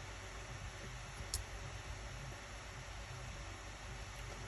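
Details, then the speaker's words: Acer Predator Helios 300 gaming laptop with overheating, PredatorSense fan test: GPU fan about 5,882 rpm and CPU 5,769, going over 6,000 on maximum, where it should stay below 6,000. Steady, loud airy rush, no rattles. Fan overspeed. "if we keep it on the maximum it goes over 6 000 the value should be around 57 below below 6 000 basically for the both one"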